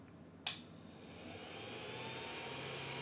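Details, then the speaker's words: Stock Creality CR-10 3D printer, shotgun mic at similar distance to speaker, not printing: click at power-on, then loud airy whir with steady high whine; noisy stock hotend fan, later replaced with Noctua. "is almost as loud as I'm talking it sounds like a jet engine and that's without even printing so today I'm gonna attempt to make this printer a whole lot choir"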